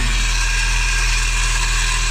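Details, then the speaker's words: Peugeot 306 Meridian 1.6 8v TU, FWD, lifted off-road build, at idle after exhaust clamp repair: steady droning hum over the engine with no exhaust blow anymore; owner suspects the power steering pump is the real noise source. "that sounds bad i think i better fist on that i think but at least the exhaust isn't blowing anymore"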